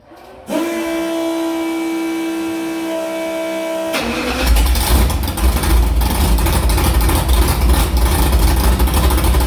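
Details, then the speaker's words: Car with Prosystems carburetor after changing idle air bleeds from .070 to .055, restart: steady starter whine for a few seconds, then it catches quickly and settles into an even rumbling idle; normal start and idle. "I'm gonna try to start it up one more time and just make sure it's good, but it fired up pretty quick on that one."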